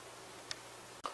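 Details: Cuchen CJE-A0302 3-person electric rice cooker, new, during cooking: a few sharp light ticks about half a second apart; maker says the clicking is normal for the product.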